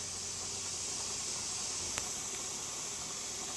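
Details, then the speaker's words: Pressure canner with quart jars of raw-packed green beans, before weight goes on: steady even hiss of escaping steam without pulsing or sputtering; normal 10-minute venting forcing all air out. "This is called venting, okay? It is forcing all the air out."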